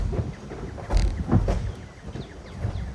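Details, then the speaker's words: Manual-swapped ~1000 hp Dodge Demon (over 4000 lb) moving with irregular heavy low thumps and clunks from underneath, a new noise; bearing parts found on the ground, driveshaft bearing failed. "ฉันคิดว่าคุณทำให้เพลาแห้งหักโอ้ใช่มันไม่ได้เสียงแบบนี้ก่อนหน้านี้เจ็บปวดฉันไม่ชอบสิ่งนี้เสียงเหมือนเงินชิงไม่นะเงินไปผิดทางแน่ๆ"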